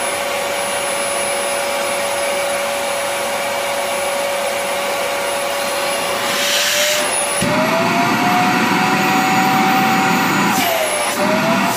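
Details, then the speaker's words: Rowenta Compact Power Cyclonic vacuum after the motor was overhauled and its rear bearing replaced, with the A4 part refitted. It runs with an even motor roar and steady pitch, and the earlier airflow whistle is gone. "A4 taktım şu anda baktığımız zaman da ıslık sesi kesiliyor önce onu göstereyim"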